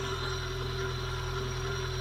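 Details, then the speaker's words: Peugeot 106 S1 Rallye starting on the button and idling steady and smooth, no knocks, ticks or bearing noise; runs sweetly, though white smoke appears after a few minutes, owner suspects head gasket. "so she does start on the button every time i haven't had any problems with it starting and it seems to run quite sweetly"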